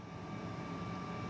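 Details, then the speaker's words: Power-vented water heater's vent blower motor after oiling its seized bearings: quiet, steady hum with thin even whine, no grinding or rattle; motor spins freely again, igniter can now fire. "And you can hear it running now. So that was the problem. This was seized up."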